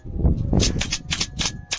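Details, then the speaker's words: Mercedes-Benz won't start, both batteries tested above 12 V (about 13): starter gives sharp dry clicks, about five in two seconds, no cranking, burnt smell; starter solenoid coil burnt out. "ये देखिए इसका solved coil जो है जल गया है। इसलिए कैली टकटक कर रहा है।"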